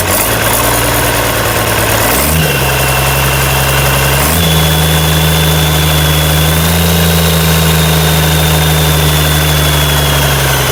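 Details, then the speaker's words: International DT360 diesel on test stand before swap into 1973 Ford F250, fan and belts removed: two quick blips then steady even idle with firm clatter, no misses; healthy runner. "That's great. She's a runner."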